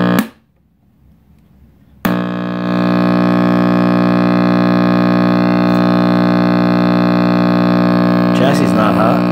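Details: RCA Victor X551 vintage tube radio at first power-up after restoration and power cord rewiring: loud steady low drone at one pitch from power-up; owner suspects last-soldered filter capacitor, reading unconfirmed.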